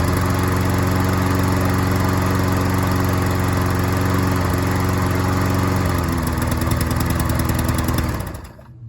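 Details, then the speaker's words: Troy-Bilt self-propelled lawn mower after carburetor needle seat repair and new gasket: smooth steady drone for eight seconds with no surging or misses, then a clean shutdown; mowed without hesitating or struggling, normal running. "Well, I'll have to Hey, it mowed really good. It didn't hesitate or struggle or anything like that. It mowed really, really well."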